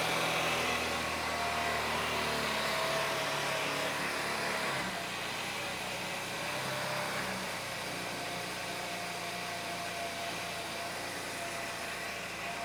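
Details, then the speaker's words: Honda Elite 80cc scooter after carb rebuild kit (new O-rings, idle adjustment jet), hot day around 104°F: starts and settles into a steady, slightly high idle with even beat; runs much better, though intake manifold boot still leaks; normal idle. "okay seems to be running pretty good idle's a little high let's turn hey that seems pretty good not too bad"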